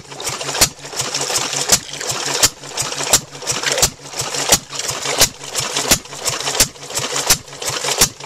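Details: Climax water pump driven by a small engine, after the failed leather bucket washers were replaced with flat washers cut from thick rubber. Even, sharp clacking about 86 strokes a minute over a low engine drone; pumping well with plenty of pressure.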